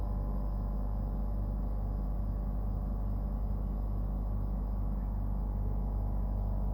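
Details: Brand-new Dometic Freshjet 3200 rooftop air conditioner at startup and running: a loud, deep, steady hum with a throbbing pulse, the compressor and unit far noisier than normal operation.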